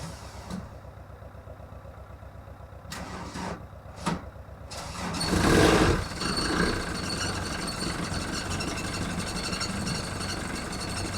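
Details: VW Golf mk1 1.9 TD turbo diesel, cold start after 5 months winter storage: a few slow uneven cranking bursts, then catches with a roar into a rough, knocking cold idle.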